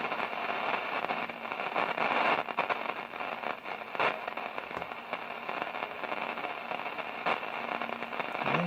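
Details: 1946 Zenith 8H034 AM/FM radio under repair, powered up after checking rectifier and filter capacitors: loud irregular crackling and popping static over hiss in bursts like a thunderstorm; source unclear.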